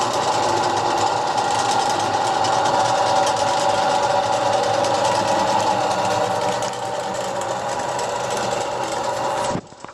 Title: Первый запуск Токарного станка СТД-120 М (после капремонта)